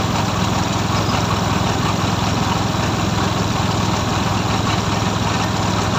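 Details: Suzuki F6A three-cylinder: steady, even low putter with no misses or knocks, holding constant speed; healthy normal idle.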